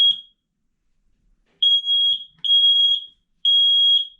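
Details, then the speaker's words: Newly installed smoke detector (10-year unit) test button pressed: loud shrill beeps in long bursts with short gaps; the sounder works normally. "So we want to make sure that it's working we can go ahead and push this button here to test it"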